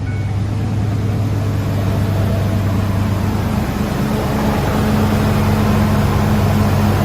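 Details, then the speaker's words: 2005 Ford F-150 5.4L 3-valve Triton, first start after replacing the roller followers (a timing job was reportedly done 20,000 miles earlier): steady, even low hum with no ticking, valvetrain smooth and quiet on both sides; normal idle. "Sounds good so far. Sounds like a brand new 543 valve. On both sides, nice and smooth, nice and quiet."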